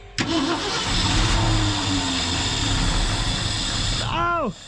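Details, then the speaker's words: 1990 Ford F600 after carburetor work and fuel pump reinstall, fuel pump cover dripping from a stripped bolt: cranks, catches and settles into an uneven, lumpy, wandering idle, running poorly. "she's idling she is not the happiest but she was idling"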